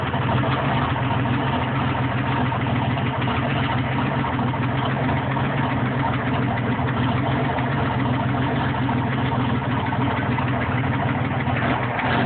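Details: Steady idle with a fast, even ticking through the low rumble; engine knock at idle, cause unconfirmed: possibly rod knock, stuck valve or exhaust leak.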